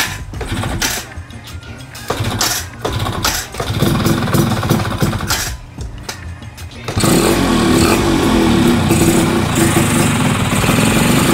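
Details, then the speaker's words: Two-stroke bike with newly fitted PE 30 carburetor, pilot jet not yet set: ragged start-up bursts settle into a steady run with a loose metallic rattle from a worn one-way starter clutch housing. "nah bunyi ini tuh bunyi yang dari rumah oneway-nya ya yang oblak itu guys ternyata bunyinya berasa juga nih"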